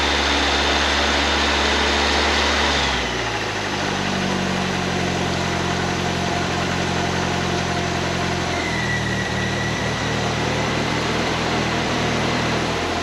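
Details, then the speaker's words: 1931 Ford Model A coupe hot rod, Ford 2.3L with Holley 2300 350 CFM carb, warming up to pull coolant through: steady even idle with smooth low hum, no knocks, ticks or misses. "Let her warm up here a little bit and start sucking some antifreeze through. This engine tends to run, doesn't run real hot, so it's going to take a minute to get the heat build up in here"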